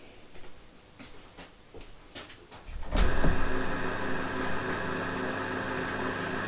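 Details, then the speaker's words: MDS-800 restoration, floppy drive plugged in before the first boot attempt: quiet handling clicks, then a motor whirs up into a steady, even hum, meant to run continuously; normal floppy drive spin-up. "said the drives spun up now and these sort of drive that should run continuously"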